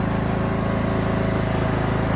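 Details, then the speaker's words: Craftsman T2400 hydrostatic garden tractor, sold as transmission shot, reversing up a hill: steady low engine drone with even pulses under load, no whine, grinding or clunking; drive feels fine, normal. "we got this hill right here trying to go backwards on it see what we do feels fine to me i'm not hearing anything"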